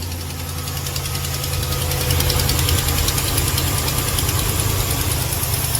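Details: Ram 1500 Hemi on a cold start first thing in the morning: sharp, quick ticking in time with the idle over a steady low rumble, gone once warm; an exhaust manifold leak, not the Hemi tick.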